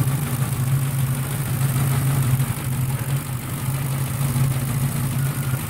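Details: 4.6 V8 with a Victor Jr intake and rails and a new IAC valve, still holding a high idle: fast, light, even sewing-machine ticking over the raised idle; source of the tick not pinned down.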